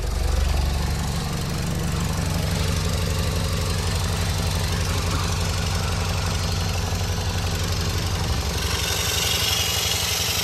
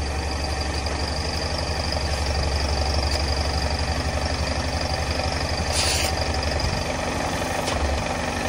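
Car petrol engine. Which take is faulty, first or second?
first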